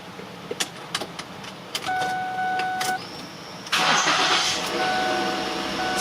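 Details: Lincoln MKX 3.5 after fuel pump relay replacement, on a charged weak battery: door clicks and warning chime, then the engine cranks briefly, catches promptly and runs steadily. The no-start is fixed.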